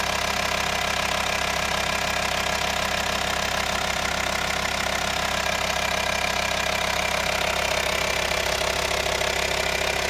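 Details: VW T5 2.5 TDI (BPC) diesel at idle: steady clatter with a sharp regular tapping about three times a second; engine noise present, cause unknown.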